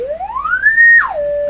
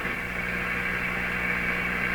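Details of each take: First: General Electric C600 radio after its old wax audio capacitors were replaced, run through a dim-bulb tester into an external speaker. A test tone glides up, drops, then holds steady with no hum or buzz, so the audio amplifier stages are healthy. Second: General Electric C600 radio, on a dim-bulb tester while its old wax audio capacitors are replaced: a steady low fixed-pitch hum over hiss; owner believes mains hum is being picked up, unconfirmed.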